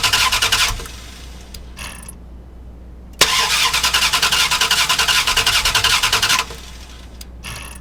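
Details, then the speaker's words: 2000 Dodge Durango 5.9L V8 that quit on the freeway: two spells of brisk, even cranking with good speed, never fires; crank no start from weak ignition spark, suspected bad ignition coil. "Okay, so as you heard the cranking, and we have pretty good cranking speed. Had no problem cranking. It simply did not fire, did not start."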